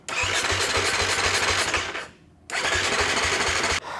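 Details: Beta two-stroke dirt bike with sharp, rapid popping catches briefly, stalls, then fires again only on starting fluid; owner can't hear the fuel pump running, dirt past the intake, fuel delivery suspected, spark to be checked.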